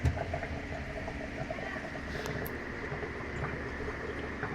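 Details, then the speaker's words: Sharp automatic top-load washing machine after repair of slow-drain fault in drain mechanism, draining from water level 6 of 8: quiet steady pump hum under running water, no stutter or strain; drain now fast and normal. "So kanina bago ko siya Gawin napakahina ng tapon ng tubig doon sa pinaka drain hose so Ay mabilis na oras naubos kaulit yung tubig"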